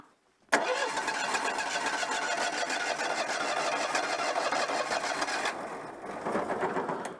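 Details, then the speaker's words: Citroën 2CV with suspected electronic ignition fault, cold engine, choke partly applied: long rapid cranking that runs several seconds without catching cleanly, then sags; hard starting when cold. "on attend peut-être avec un peu de starter parce que le moteur est froid"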